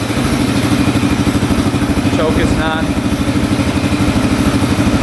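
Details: 1995 Suzuki DR650 single-cylinder dual-sport: steady, even thumping idle with no misses or stumbles, holding smoothly without the choke; normal idle.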